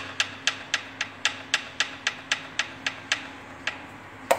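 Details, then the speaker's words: Fiat Uno Fire Evo 1.0 engine on a cold first morning start: sharp, even knocking at nearly four a second over a faint engine hum, less on cylinder 4. A valve-adjustment and oil change didn't help. It is piston skirt slap, needing new pistons and an engine rebuild. "saia de pistão Aqui Nesse caso tem que trocar os pistões e fazer o motor"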